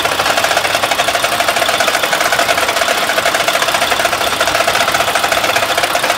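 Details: Mack truck with MP8 diesel engine that no longer builds air pressure: fast, steady knocking or tapping over the running engine; a mechanic said it needs a new motor, cause unclear.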